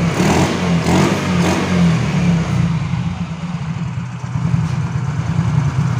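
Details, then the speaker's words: Yamaha Mio Soul GT scooter that dies when throttled, no MIL code or scanner reading: surges up in a few rough revs, then sags to a low, uneven run, picking up only with petrol added at the intake; confirmed weak fuel injector. "terus kita coba digeber kalau mau berarti e ada kemungkinan injektor yang bermasalah lemah"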